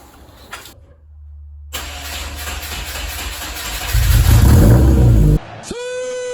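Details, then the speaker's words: Car's first cold start in a long time, after fuel lines found hooked up backwards were corrected: cranks, catches, settles to a steady low idle with a brief rev; normal cold start. "get the interior all put together mostly enough to start the car. So now we finally hear a cold start."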